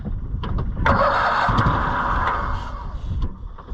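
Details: Cushman Truckster auction find with suspect wiring, cranking on jumper cables with hand throttle: rhythmic cranking at about four turns a second with a steady airy hiss riding over it; won't fire, hiss source unknown.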